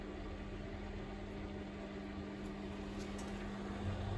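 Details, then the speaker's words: Indesit IWDC6125 washer-dryer draining: steady low hum with a constant mid-pitched tone, drain pump running normally. "yeah that's the drain now presumably it's all working but anyways time will tell"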